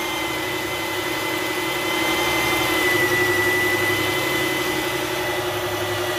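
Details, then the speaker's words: 2008 Dodge Charger 3.5L V6, failing alternator not charging well: faint steady high whine at idle, louder when revved, fading as rpm drops; fix is alternator replacement. "show you what it sounds like on the inside you can hear that whining the woods ever so slightly and then if I rev it it gets even louder and then he goes away when rpm started to go back down"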